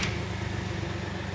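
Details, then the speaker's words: 2006 VW Polo 1.4 TDI SE diesel, three-cylinder, just driven about 40 miles home from auction: steady, lumpy diesel clatter at idle, rough by nature but "what they are meant to sound like." "There you go. Yes, that is what they are meant to sound like."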